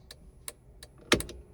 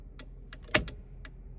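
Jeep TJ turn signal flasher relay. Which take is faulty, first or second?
second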